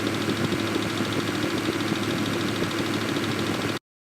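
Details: Range Rover Vogue TDV8 diesel after no-crank no-start repair, reassembled: steady even rumble with dense uniform clatter and no stumbling; runs cleanly after starting.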